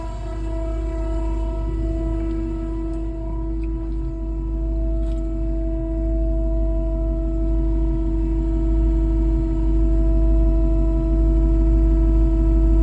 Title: Srt Hellcat charger 2017 LOUD NOISE diagnosis?